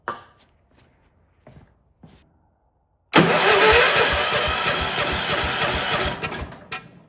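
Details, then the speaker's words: Vintage Kohler motorhome generator, big flathead single-cylinder (guessed 400–500 cc) with points ignition, run on starting fluid: pops into life and chuffs unevenly a few seconds before fading out; rough running. Owner suspects corroded points. "Give it a little more starting fluid. Yeah, it's not getting smooth. So probably the points are corroded."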